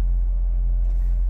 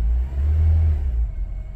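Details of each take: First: 2007 Honda Civic with check engine light, codes P0302 cylinder 2 misfire and P0420: low uneven idle rumble with stumbles, rough and missing, jerking the car; owner suspects cylinder 2 spark plug/ignition, about to replace it. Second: 2007 Honda Civic after work on cylinder 2 misfire (P0302): deep even rev rising and falling smoothly, no misfire; starting and running smoother.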